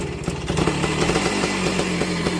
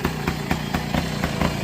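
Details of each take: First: 1968 Benelli Leoncino Scrambler 125cc two-stroke after fitting a proper two-stroke silencer in place of a four-stroke one: crisp, busy buzz at steady fast idle, loud but even with no misfire; sounds better but not quiet, normal exhaust note. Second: 1968 Benelli Leoncino Scrambler 125cc two-stroke running loud and hollow, pulsing unevenly about four times a second, fitted with an unsuitable four-stroke silencer; wrong exhaust fitted, to be replaced with a two-stroke can.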